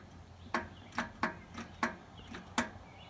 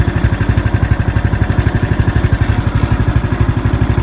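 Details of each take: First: Riding lawn mower, key turned with positive connected and grounded to frame: sharp repeated clicks with no cranking; faulty starter solenoid, tested by bridging its two posts with a wrench, then replaced with a universal solenoid. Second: Murray riding lawn mower idling after replacing a faulty starter solenoid with a universal solenoid: even steady low thumping at constant pace with no misses or knocks; engine idles smoothly and healthy.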